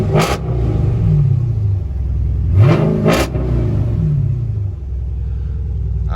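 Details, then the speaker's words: Car at a Copart auction with 91,000 miles: crisp throttle blips rise and fall smoothly over a steady idle, with no knocks or misses; healthy engine revving. "Let me give it a little rev. Oh yeah, this sounds great, man."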